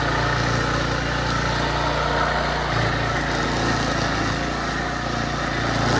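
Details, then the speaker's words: Craftsman brush mower, probably early-to-mid 2000s, sat 3 years, then carburetor rebuilt, new air filter, spark plug, oil and strings: while cutting tall grass the single-cylinder engine holds a steady, even beat, no missing or surging; running healthy under load. "but but anyway it works it's sat for 3 years unused and carburetor rebuild air filter some oil spark plug and she is ready to rip buddy um working great"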